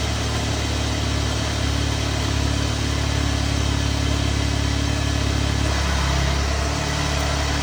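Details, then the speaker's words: MK7 VW GTI 2.0T EA888.3 after a 529 Innovations oil cooler install; cranked with the high-pressure fuel pump unplugged to build oil pressure, giving fast starter churning at about three beats a second that never fires, cranking without starting. "Before I start it, I'm gonna crank it without the high pressure fuel pump attached. That way the car doesn't start, it'll just crank."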